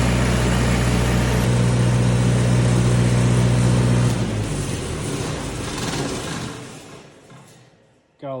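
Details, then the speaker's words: 2011 Miller D550 HO diesel welder generator after service (fuel, oil filters, oil change, water separator cleaned, air filter blown out): steady fast even idle, no stumbling, then winds down at shutdown; previously struggled to reach high idle, now better. "Well, she's a runner again. Sounds good. No Last time I tried firing this thing up, it struggled to like get to high idle, so this is uh a lot better."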